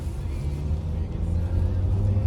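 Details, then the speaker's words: 2010 Ford Fusion road test after broken engine mount replaced (noise seemed like transmission): smooth low road and engine rumble under acceleration, no grinding or clunking, noise gone; normal acceleration. "Olha a diferença do barulho do carro agora aí, ó. No começo do vídeo vocês lembram o barulho aí, ó."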